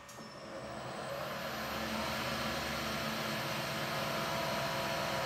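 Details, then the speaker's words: Precision Matthews PM-1440GT lathe with new Marathon E470 3 hp 230 V motor on Hitachi WJ200-022SF VFD, replacing a cogging original, up to 2,000 rpm: even drive hum with faint whine, no cogging or gear rattle; normal running. "not even a single cogging sound where beats the gears against each other"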